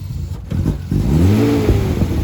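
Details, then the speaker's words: BMW E36 first start after long storage, smoking from sitting: engine sputters and surges unevenly, revs rising and sagging, won't hold idle on its own because of a hole in the intake; unstable idle from intake air leak. "There is a hole in the intake, so completely off. Is it idling itself? No."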